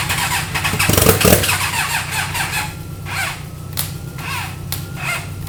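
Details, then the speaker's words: Rebuilt 300hp turbo GSXR motorcycle engine in a 6x6 mini Jeep, first start on eBay parts with the fuel system and turbo oil drain not fully hooked up: a short crank, then a steady, even run with no knocking. Sounds healthy. "But we put this thing back together with random eBay parts. It starts up. It sounds healthy."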